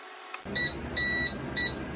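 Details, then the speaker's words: Creality LD-002R resin printer homing the build plate before a paper-check bed leveling: three short high-pitched beeps over a faint hum as the plate hits bottom, the normal homing signal. "so as you can hear it beeps when it hits the bottom"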